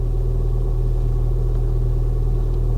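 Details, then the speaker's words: Ford Fiesta ST, former non-runner, first start after oil and water checks: smooth, even low idle with steady hum, no knocks, misses or ticking; sounds really good and really quiet. "oh hey that sounds really good really quiet"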